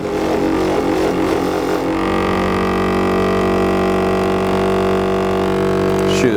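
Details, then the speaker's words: 12-volt on-demand electric pump on a Fimco sprayer: steady hum runs on without cycling off or straining and fails to build pressure; commonly caused by the cutoff valve not turned on; strainer screen checked next. "If it fails to build pressure like this one's doing, the next thing we're going to do is we're going to check the screen here, and I'll need to put on some PPE for that."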